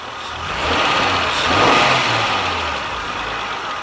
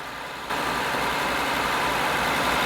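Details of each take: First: 2000 Honda Accord 3.0L after OEM idle air control valve replacement and EGR reinstalled: low smooth idle after a brief blip, no surging, no check engine light; code P0505 fixed. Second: 2000 Honda Accord 3.0 L with code P0505, warm engine: holds a fast, steady idle around 1500 rpm that never drops back down; points to a faulty idle air control valve.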